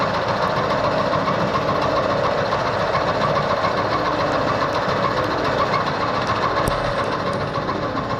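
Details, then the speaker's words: Bridgeport milling machine running on a new VFD, taking a 1/16 inch cut in malleable iron with an end mill: even steady cutting hum with fine rapid tooth chatter, no squeal or grinding. Clean, normal cut. "let's just cut a sixteenth off you see what it sounds like smelling it"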